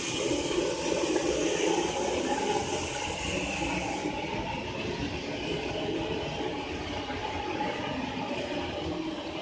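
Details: Loud steady rushing hiss of water flowing through the pipes, easing slightly after a few seconds; loud water flow noise with no obvious cause.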